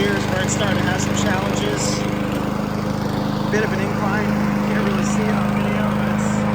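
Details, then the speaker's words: Honda HRC216 mower (GCV-series engine) with second replacement Amazon carburetor, mowing: steady drone with no stumble or surging under load; normal running. "Yes. Yes. Yes. It did it perfectly fine. No problems. Not even a stumble."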